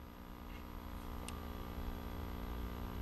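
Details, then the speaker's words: Recapped tube radio of unknown make, possibly General Television, on a variac at about 60 V with 57 V B+, warming up, no excess current draw, volume wide open: quiet steady mains buzz-hum from the speaker, no reception. "Still not really hearing anything out of the speaker, so we'll crank it up to about 60 and let it warm up a bit. Still not drawing any excessive current draw, so that's a good sign. Okay, I'm starting to hear some hum from"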